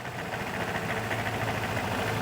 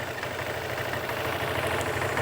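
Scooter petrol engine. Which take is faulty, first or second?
first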